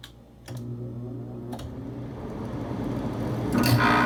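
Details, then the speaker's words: Whirlpool window air conditioner set to 79°: clicks, then a steady low hum as the compressor kicks on, with fan rush building over it. A normal, smooth startup. "so this is what the unit sounds like when it started up it's on 79° and you also heard the compressor which is good"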